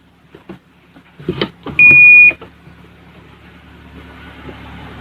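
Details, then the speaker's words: Panasonic washing machine after repairing a broken trace on the control board, which had left the start button and other buttons dead. A button press gives one clean half-second beep, the numbers display and the machine starts; working normally. "กดติดมีเสียงมีตัวเลขขึ้นปกติครับใช้งานได้ครับ"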